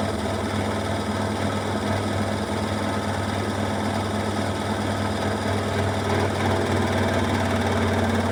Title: Washing machine Beko WMY81283LMB2 unbalanced loud rattling final spin 1200rpm with water swirl!!!!!!